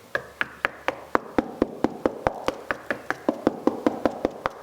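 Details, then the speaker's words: Knocking on old plaster of a 1616 tower room's inner wall, about four knocks a second. Some knocks sound hollow and papery, marking plaster that has released from the brickwork. "And knock on the wall like this, and once you hit a spot which the plaster has released from the wall, you can hear a difference in the sound."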